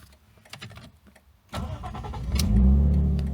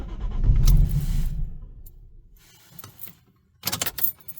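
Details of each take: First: Lexus IS200 drift build after a fuel pump replacement: following a deliberate stall it catches at once and rises to a steady, even idle, then is revved to 4K. A normal start; the owner guesses the new pump hadn't registered at first. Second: Lexus IS200 drift-build daily driver that suddenly would not start: two long bursts of starter cranking that never catch or fire. The owner suspects the fuel pump is not pumping enough fuel; a new pump, located under the seat, has been bought.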